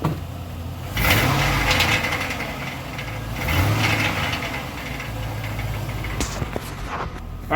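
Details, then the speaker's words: 2001 Chevrolet truck throwing O2 codes: harsh metallic clatter swelling on start and each throttle opening, from a catalytic converter honeycomb broken loose; converters to be replaced. "verters have been throwing O2 codes and uh and the honeycomb in one of them has actually broken loose and is rattling uh whenever you start the truck or accelerate so I'll show you what that sounds like right now"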